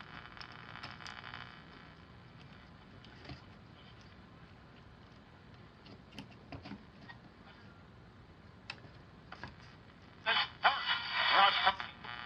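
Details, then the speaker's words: Channel Master model 6505 five-transistor AM table radio before capacitor replacement: only faint hiss and occasional crackle, no stations received; hand on tuning cap cuts what little signal there is. "So, we could take one of these, just turn the radio on, and this is really not even picking up any channels."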